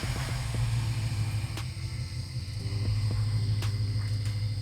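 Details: BMW 550i N63TU V8 just started after Fuel-It flex fuel sensor kit install, running about E40-E42: deep, steady low rumble with even beat, no knocks or misses; idling smoothly.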